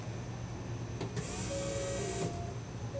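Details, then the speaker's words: 1991 VW Vanagon during engine swap, key cycled to prime: steady high whir for about a second then cuts off; hand on the pump felt it spinning, sounds and feels healthy though nothing reached the jar. "i had my hand on the fuel pump here and not only could i hear it i could actually uh feel it spinning and it um i know it's not scientific but uh sure sounded and felt healthy"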